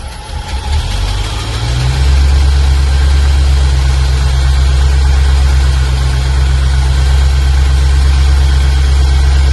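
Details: 1995 Range Rover Classic V8, sat over 10 years, started on jump pack after new ignition amplifier and ballast resistor fitted: loud heavy slightly uneven lumpy idle suggesting it's still running rich.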